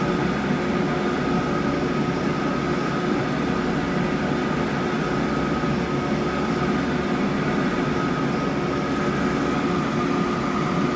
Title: MJP 2500 Plus Strange Noise